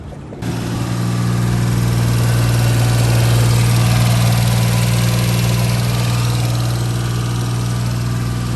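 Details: HiJet mini truck that was hard to start and leaking coolant, after head gasket, timing belt, water pump, bearings and valve cover gasket were replaced. Engine catches and settles into a smooth, even idle with no misses, knocks or hissing.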